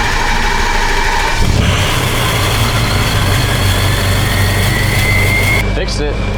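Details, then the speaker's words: 6.0L Powerstroke diesel after white smoke and low power, with BG oil cleaner just added: the engine catches and settles into a steady, even idle with no stumble or misfire. "yeah smooth yeah it sounds good we got that cleaner in there right now so we're just kind of letting that get through the system"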